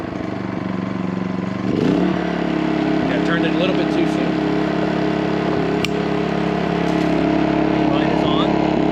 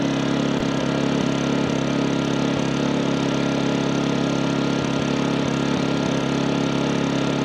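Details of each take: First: New MaxPeedingRods 3200 W inverter generator in a garage, eco mode off, running at full speed for a 15-minute break-in after a choked start and brief red overload light; steady high revving with sharp pops; backfiring. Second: MaxPeedingRods 3200 W inverter generator started with eco mode off after sitting three hours; steady, even full-speed drone with no knocks or misses, running normally at about 74 dB.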